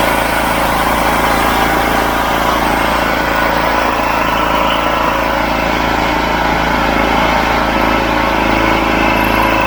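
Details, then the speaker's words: Wolf 5kVA petrol generator with Honda GX390-clone engine, revived after years outside, new spark plug, service kit: steady even drone holding speed under about 2 kW load without hunting or misfire, working fine. "Good, it powers that no problem, and you can hear it going under load a little bit, but not that much."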